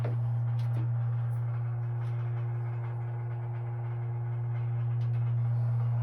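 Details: Steady low hum with a faint tone, no knocks, from pipes near the hot water heaters. No leaks, expansion tanks read about 70+ PSI, stronger on the left unit, not always triggered by faucets; cause unknown.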